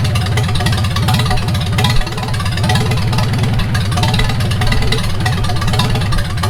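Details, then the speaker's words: 1942 Farmall H tractor, hand-cranked and started after transmission repair (scraping/screeching and hard shifting from reverse fixed), carburetor not yet adjusted: even, steady idle with firm low thump, no knocking or stumbling; normal idle. "Oh, gotta turn the fuel or the ignition on. Well, it runs pretty good for not even adjusting the carburetor."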